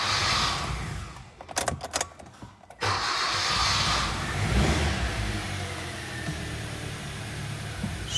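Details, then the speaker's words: Hyundai Solaris 1.4 G4FA after engine rebuild (timing chain, oil consumption and knocking), first start: uneven cranking bursts for a couple seconds, then catches and settles to a steady quiet idle; slow start suspected from fuel or injectors. "потому как запустилась она очень долго либо с бензином либо с форсунками"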